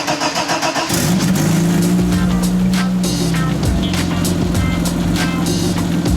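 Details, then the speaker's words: BMW E30 petrol engine on stands, first start in months after drivetrain repairs and exhaust refit: cranks briefly, catches, runs with a loud, raspy, uneven drone from a huge exhaust leak, to be fixed next. "The E30 has a huge exhaust leak, but it's alive."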